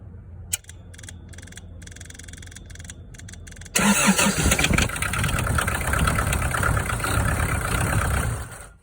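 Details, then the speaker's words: Kubota KX121-3 excavator diesel after fuel shutoff solenoid replacement: solenoid click, then cranks, fires and runs evenly before shutting off cleanly; normal start and shutdown. "And it shuts it off."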